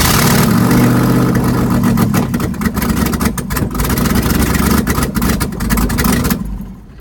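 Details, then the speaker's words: LS-swapped Comanche with an aftermarket cam and an untuned computer: a lumpy, uneven idle with loping low thumps and no steady beat. It starts and runs, but the cam makes the idle rough until it is tuned. "I still gotta get the motor, the computer tuned because I put a cam in it, so it doesn't idle really well. But as you heard, it does start and run."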